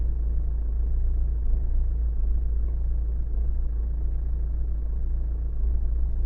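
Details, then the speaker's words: Renault 1.5 dCi diesel (Megane) idling cold runs deep and uneven with a lumpy, stumbling misfire, as if on three cylinders, until it warms up after about five minutes. A bottle test and injector values show one injector has failed. "You see, now it starts really misfire. Can you hear?"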